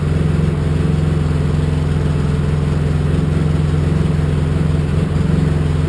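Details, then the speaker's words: Polaris Sportsman 700 EFI ATV after installing a new Carter fuel pump: steady, even, smooth running with no surging or fuel starvation, unlike the gulping and starving before with the failing pump; normal running. "that sounds so much better that sounds so much better yeah smooth"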